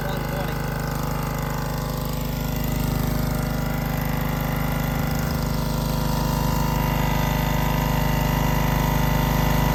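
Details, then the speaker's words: Honda-engined hookah diving air compressor, started cold from zero pressure, building toward 150 psi under load. Steady even small-engine drone with a smooth low beat that never falters: healthy. It will supply two to three divers. "i'll bleed it down just to where it needs enough to kick off you can hear it i mean it takes a long time this is holding it wide open this will supply two to three divers no problem"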